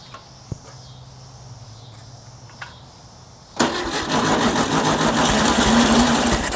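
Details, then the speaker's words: 1960s air-cooled VW dune buggy, sat over 10 years, choke and fuel shut-off solenoid disconnected, fuel fed manually while pumping throttle butterfly: catches abruptly, runs rough and uneven, won't idle; stumbling start. "Come on. I'm pumping the uh the butterfly because it's uh squirting fuel down there. Yes. Come on. does not want to idle."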